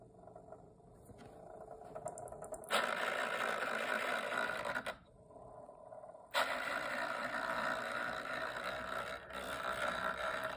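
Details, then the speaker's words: MSI GF75 gaming laptop: loud airy fan roar with a rough, rattly edge rising abruptly as the worn dual cooling fans spin up before replacement. "Today we are replacing noisy fans on MSI gaming laptop."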